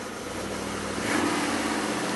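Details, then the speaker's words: 2002 Ford Explorer 4.6 V8 first cold start after intake gasket replacement: steady, even cold idle with smooth low hum and faint tick from a known exhaust leak; good oil pressure, runs as before. "sounds good except for my exhaust leak I got to get that taken care of but sounds pretty good everything's CED up sounds just like it did before I took it apart"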